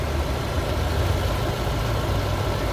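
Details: Ford EcoSport petrol engine idling after a radiator service: a steady, even low rumble with no knocks or surges. The extra radiator cooling fan runs only about 5–7 seconds. Cooling system judged normal and healthy.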